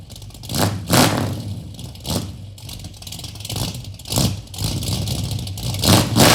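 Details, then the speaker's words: 1973 Dodge Dart Swinger V8 after fitting new DynoMax mufflers; deep V8 rumble with a lumpy cam idle between sharp throttle blips that rise and fall cleanly, idle a bit low after months of sitting: a normal, healthy exhaust note. "sounds phenomenal so i'm gonna go wash off some of the man gravy here and uh we're gonna take this first spin wow what an incredible difference you can hear the cam just sounds awesome"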